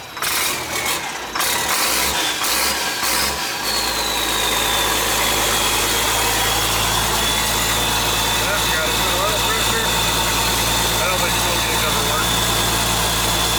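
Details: International 7100 with DT466 diesel, first start after in-frame overhaul (fresh head, liners, pistons, bearings, radiator), after bleeding injector lines: a few rough catches, then a steady, even diesel idle with a faint whistle on top. Sounds healthy.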